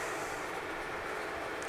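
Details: 15" x 42" used Leblond Regal lathe with 3-jaw chuck and four-way tool post, freshly repainted, running with cross feed engaged after longitudinal feed and threading mode: steady even whir from gearing and feed, no knocks or grinding; normal operation.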